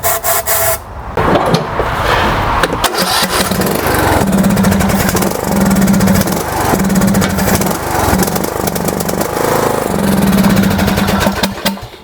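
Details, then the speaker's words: MTD Yard Works lawn tractor, Briggs & Stratton single-cylinder, no fuel reaching carburetor: carb cleaner sprayed in as starting fluid, runs rough for seconds then dies once burned off; fuel starvation confirmed. "So again, it's definite that it is a fuel issue."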